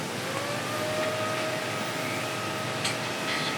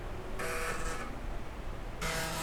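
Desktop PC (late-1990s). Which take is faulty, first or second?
first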